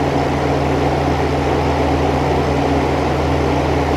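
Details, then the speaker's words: New old stock 1988 Sears Kenmore 6000 BTU R22 window air conditioner, run after a year unused: smooth constant compressor hum, steady fan whoosh, no knocks or rattles; running normally. "the compressor start already hear the refrigerant flowing good old r22"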